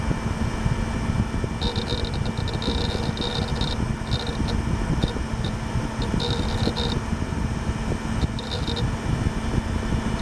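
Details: Gateway LP Mini Tower KAD K7-700 (AMD Athlon 700 MHz): even low fan whir with bursts of quick light hard drive seek chatter. Drive and fan running normally.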